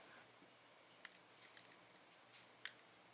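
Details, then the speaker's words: Speed cube (v9) turned for testing: small, sharp, irregular clicks from the yellow-blue-orange corner at its orange sticker side. The magnet is loose in its slot because too little glue was used. "可以听到是有异响的。这样我们就确定问题出在黄蓝橙角块的橙色贴片。"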